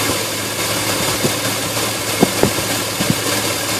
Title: Engine rough idle